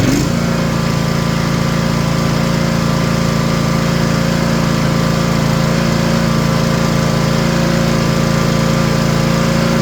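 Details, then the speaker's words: Rebuilt Kawasaki FR730V twin on a Cub Cadet mower after ignition coil replacement, 26.5 hours since rebuild: steady, even drone wide open near 3,200 rpm (1,200 at idle), no surging or missing; smooth, snappy throttle response, previously shaking with no power. "It runs so slow smooth. Before the seat was shaking. I had no RPM. No throttle response. It's snappy now."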